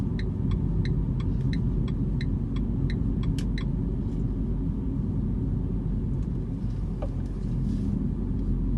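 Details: Renault Clio RS: sharp regular ticks about three a second over a steady low engine rumble, fading after a few seconds. An unexplained knocking sound.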